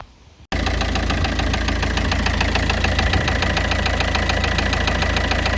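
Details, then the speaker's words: C5 pickup engine running, first start after work, one hydraulic tappet replaced; fast, even light ticking from the top end, tappet noise owner suspects will go once it warms up and pumps up, not confirmed. "I'm not entirely sure how good the quality of the sound is until I do some editing, but you do hear a bit of a tappet noise."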